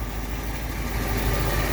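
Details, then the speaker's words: 1959 Ford Fairlane 500 V8 running for the first time in 17 years, new gas tank, timing unadjusted, carburetor likely gummed, very loose timing chain: deep, even rumble at a steady idle with no misses; smooth. "That thing's running just as smooth as It is. It's running very smooth."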